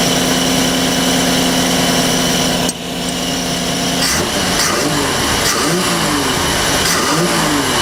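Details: MerCruiser 4.3 V6 boat engine, new block, new fuel pump, after apparent water in fuel cleared: steady, even hum with no misses or knocks, settling into smooth idle; normal running.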